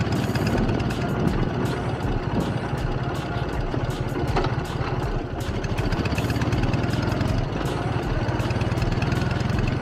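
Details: K-750 motorcycle after mufflers reworked, welded and repainted to quiet them; steady, fairly loud flat-twin idle with even, deep exhaust beat, no knocks or misses: normal idle, quieter than before.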